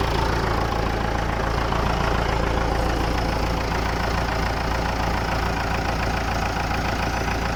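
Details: Massey Ferguson MF 290 tractor diesel started after engine repair: even idle clatter about four beats a second, no misses or hunting; engine healthy.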